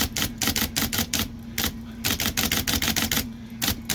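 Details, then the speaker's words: IBM Selectric 1 typewriter with a new hub and a stiff, sticky keyboard, being run after flushing fluid into it: quick bursts of uneven clacking over a motor hum, some strikes lagging; keys still binding and only starting to free up. "I'm going to run this a little bit and work it in a little bit and see if I can get some of these freed up a little more, because it was really stiff. Some of these are really stiff."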